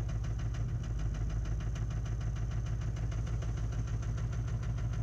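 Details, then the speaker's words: LLY Duramax with 350,000 km, ECU tuned with EFI Live, cold start at -16°C after sitting overnight unplugged, glow plugs cycled. It idles with a harsh, rough clatter of about three knocks a second, and leaking worn injectors are suspected. "And see how these old injectors do when we start. Oh, doesn't sound good."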